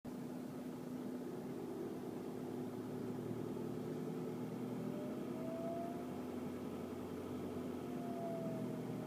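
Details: VW Golf Mk5 TDI diesel running steadily: constant low-pitched whine with a few brief higher whistles on top; cause unknown.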